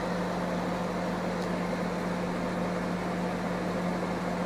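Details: AFK MWDGE 20 microwave after replacing the relay and 5 W resistors that caused it to hum without heating: steady mains hum with smooth fan rush, no buzzing or arcing; running and heating normally.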